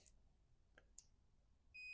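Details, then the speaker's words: Multimeter continuity test while fixing a Midway 90421 power supply blowing its F1 fuse in a Jr Pac-Man arcade: light lead clicks, then a clean, steady high beep confirms the test works. The F1 fuse itself was found blown. "y you hear that that connection works this fuse is blown shocker"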